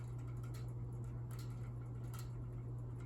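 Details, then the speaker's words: Unknown ceiling fan, roughly 48–52 in, running up through speeds: steady motor hum with a faint crackle about once a revolution, from blades not tightened on their mounts. "You can hear the blades crackling and stuff cuz they're not tight."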